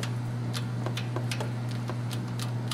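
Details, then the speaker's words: Chevy 350 / 5.7L high-performance engine with aftermarket camshaft, crank rocked by hand: sharp irregular light clacks over a steady hum from a slack, badly stretched timing chain slapping. "That's chain slap. See that? Sloppy chain. See that? Sloppy chain."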